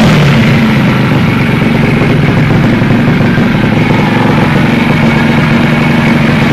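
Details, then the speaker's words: Takegawa Plus-R 4SM 59mm single-cylinder motorcycle engine build: loud, even, deep exhaust beat holding steady without misses, knocks or rattles; engine sounds very healthy, normal running. "Κάτσε να ακούσουμε και τον ήχο του, να το επιβεβαιώσουμε. Το μοτέρ του ακούγεται υγιέστατο."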